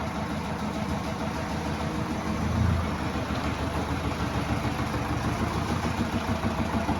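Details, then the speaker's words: 2010 Subaru Outback 2.0 diesel 147 hp, first start after crankshaft seal replacement; steady idle with uneven knock about three per second. Crank pulley and dual-mass flywheel have play, clutch rustles; engine judged dead. "Штив ходит, двумасса ходит, но клиенту всё. Сейчас я снимаю вниз. Такой звук. Это наглядный пример тому, что мотор умер."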